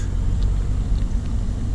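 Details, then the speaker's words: 2018 Camaro SS 1LE on base-model 18-inch wheels after minor adjustments, turning at full lock both ways: only a low even rumble, no clicking or rubbing; steering is quiet. "nice and quiet nice and quiet that's what we want to hear"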